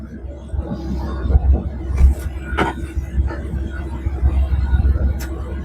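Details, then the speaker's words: Rotax 912 80 hp flat-four ultralight aircraft engine, about 100 hours since last oil change, at idle before oil change, oil pressure above 4 bar: steady, even low rumble with smooth idle beat, no knocks or rattles; healthy idle. "Donc on a toujours une belle pression d'huile, à plus de 4 bars. Le régime au ralenti. Le moteur tourne."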